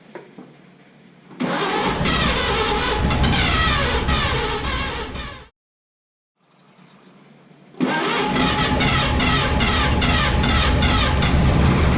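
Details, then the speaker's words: 1951 Chevy 1430 pickup inline six, seized motor freed with ATF in cylinders, last on road 1976: starter drags engine sluggishly about three turns a second, spins more briskly once given a 12-volt boost; slow cranking. "pretty much feel i have to give her the 12-volt bump because she's not turning fast"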